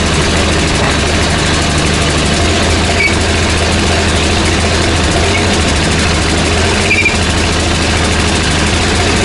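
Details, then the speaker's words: 17-year-old Ford F-150 with 215,000 miles, under throttle doing a burnout: loud, heavy, flat strained roar that never climbs freely, loss of power with occasional backfire; owner suspects catalytic converters clogged after failed lower intake manifold gaskets, rotten-egg smell. "I mentioned before that it was running rough, but it's a little more than that. It's a loss of power and an occasional backfire."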